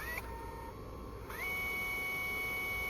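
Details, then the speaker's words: Sony HDR-HC3 HDV camcorder after capstan motor replacement, fuse replacement and full transport rebuild, rewinding tape: smooth steady high whine ramping up then holding even, no scraping or ticking; normal rewind. "Hear how it sounds. It sounds healthy. So, that's good."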